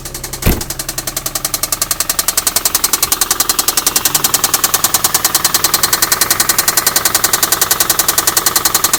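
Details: 2004 Infiniti G35 idling with a loud, sharp, fast knock in step with the engine, 1000 miles after a lifter-tick repair where the shop found extensive gold-colored metal shavings in the oil.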